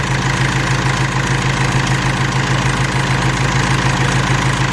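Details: Mercedes W203 radiator fan runs at full speed as soon as the ignition is on, with code P1636 (radiator air control interruption). A steady loud rushing hum at constant speed: the PWM signal between the engine control unit and the fan controller is interrupted.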